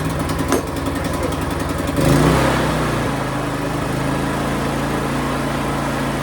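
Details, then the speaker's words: Used Harbor Freight portable generator with some oil seen underneath, pull-started with the choke out and fuel on. It catches at two seconds and settles into a steady, even drone with no misses or surging. Normal running. "I don't know about you guys, but I would say that the Harbor Freight generator is a score. Like I said, my dad's had one for quite some time and it has worked out really well."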